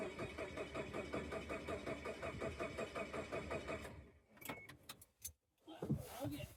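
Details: Chevrolet Tracker after replacing the fuel pump connector: starter churns steadily at two to three beats a second for four seconds but the engine never catches. The fuel pump appears to be getting no power; the cause is not confirmed.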